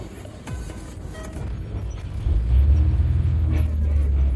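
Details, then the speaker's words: Car that stalled on releasing the gas for over half a month, after the repair: low even engine hum holding steady at idle without dips, surges or stumbling; normal stable idle, stalling fixed. "check the front. Steady as a rock. That's normal, right?"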